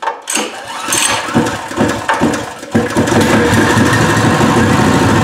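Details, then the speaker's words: New Pro Point 208cc 7hp gas engine, first start before break-in: a few rough pulls, then steady even putter at idle, vibrating and moving a lot, healthy running. "god okay guys i'm gonna have to put some bricks around it so it doesn't vibrate because it's moving quite a bit"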